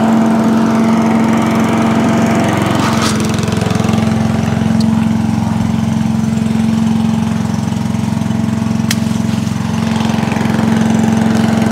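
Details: Allen chipper leaf shredder's small petrol engine, started stone cold on choke after carb cleaned twice: even fast beat with steady drone, no hunting or misses; now starts and runs normally.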